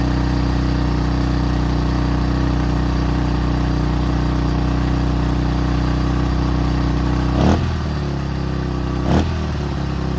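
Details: 2005 Honda CRF150F, a street-legal bike that would not start, then ran high without idling (a carb issue), after valve adjustment and carb tune-up: even single-cylinder idle with two quick throttle blips that rise and settle cleanly, healthy.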